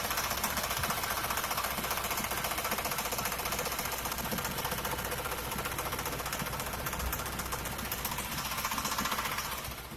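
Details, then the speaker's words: 1979 Pontiac Grand Prix V8 (4.9, four-barrel carburetor) at cold idle: fast light ticking, three or four per second, only when cold. It comes from underneath, not the valve covers; owner suspects the oil pump, cause unconfirmed. "I'm trying to figure out what this noise is. It only does it when it's cold. I'm not sure if it's the oil pump or what it is."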